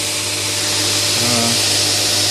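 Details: Newly built DIY 72" x 2" belt grinder on its first run: steady, even belt hiss over a constant low motor hum, no knocks or flapping. The belt tracks well and it runs smooth and healthy.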